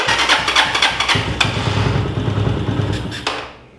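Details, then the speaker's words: Motorcycle with weak spark, stator suspected: idle lowered, it catches and pops unevenly, then sags and dies each time the throttle opens, sounding like it sucks in; stalling when throttle opened, cause not confirmed. "sabes qué le voy a bajar un poquito más a relente Ya ven intento acelerarle poquito y se oye como como que se chupara"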